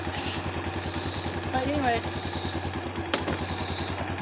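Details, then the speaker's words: Kawasaki Bayou 220 ATV with aftermarket carburetor, started in gear: single-cylinder fast-idle putter firing somewhat unevenly with loose clatter; runs but owner thinks the carburetor needs tuning; electric start keeps popping, starter suspected. "does run what I might have to tune it"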